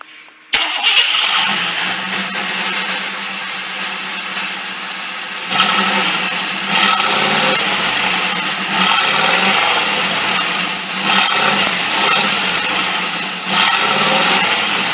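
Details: 1995 Chevy truck just after the leaking, bad-sounding exhaust was pulled and re-welded (single, not dual, exhaust): engine cranks, catches and settles into a steady run with a few throttle blips; exhaust sounds tight with no ticking leak.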